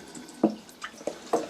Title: DIY 🚽 How To Stop Water Leaking|Running|Dripping|Trickling into Toilet Bowl/Pan - Fix/Repair WC|Loo